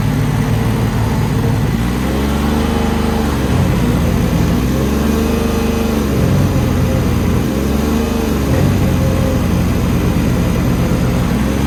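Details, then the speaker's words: Diesel yard machine just serviced, fired up: runs steady but rough and harsh with droning tones wandering up and down, described as sounding absolutely horrible; cause not stated. Harsh abnormal running noise. "you're listening with headphones on that sounds absolutely horrible I won't do any more on the camera but I'll just work it a little bit more"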